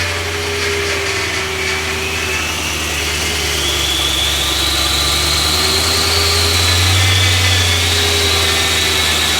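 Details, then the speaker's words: High-mileage BMW E90 M3 S65 V8 first start after rod bearing replacement, fresh power steering fluid: steady even idle, smooth low hum with faint high whine on top, no knocking or ticking; normal idle. "I guess I'm gonna start it for the first time. I think I got everything. Still missing some control arms, but hopefully everything internally is fair. So let's see what it sounds like and hope it doesn't knock."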